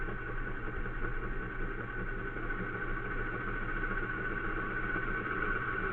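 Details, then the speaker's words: Compressor motor whose start winding was reversed to change its direction, fed reduced voltage through a weak heater coil. It hums and slowly gathers speed with a rising whine, then runs evenly. Slow run-up on reduced voltage. "It's remember it's a reduced voltage to the motor itself. So it takes longer to get going. This is where the weakness of that coil is coming in. Now you hear it starting to speed up."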